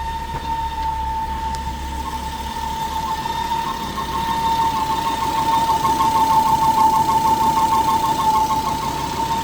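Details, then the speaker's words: Volvo C70 T5 engine idling with alternator and power steering belts removed: a loud, steady high whistle/squeal from a failed PCV diaphragm. "However, there is a really loud squeal, even while the belts are off and the engine's running. So I'm going to show you guys what that is. It's actually a failed PCV, and it makes this sound just like this."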